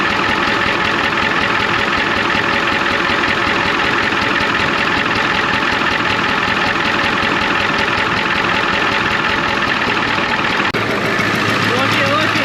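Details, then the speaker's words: 1993 Ford F250 IDI diesel at idle, injector line popped to find the problem cylinder: uneven idle with loose irregular clatter about 80 a minute; one injector found super loose and squirting fluid, others to be checked. "look back here one of the that injector right back there super loose so what I'm thinking we should take a wrench and go to every single injector"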